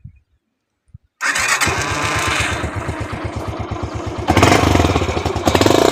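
The starter clatters for about a second, then the single cylinder catches and settles into an even, steady beat. It starts normally.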